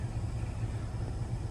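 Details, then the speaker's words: 2024 Chevrolet Silverado 2500HD Duramax on 35x12.50 tires, negative-offset wheels, no lift, after mud-flap delete and trimming: low steady engine rumble reversing at full steering lock, no scraping or rubbing from wheel wells; tires clear. "Getting nothing. All right, guys, it's been like 2 weeks with no rubbing on my truck."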